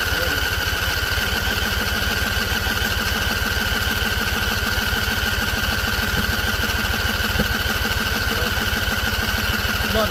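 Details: Husqvarna Z254 mower in neutral, first try after a PTO clutch and pulley install and weeks unused. Fast, steady cranking at about three strokes a second with an odd faint pop, not catching; owner suspects flooding.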